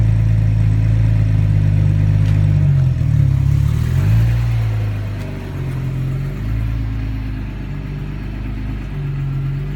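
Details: 1999 Audi A4 Quattro now runs but hesitates hard on throttle, with revs rising unevenly, sagging mid-range and recovering over a lumpy drone; it also idles rough.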